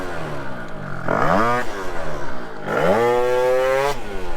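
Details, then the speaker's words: Two-stroke scooter moped built to top 66 mph, hot engine, helmet cam, pulling from about 10 mph: revs hang and labour low then sweep up sharply; bog on acceleration, owner unsure if pipe characteristic or needs lighter clutch rollers. "you guys can probably hear the bog audibly and I don't know if it's just a characteristic of the pipe where like it needs a lighter uh roller in the clutch"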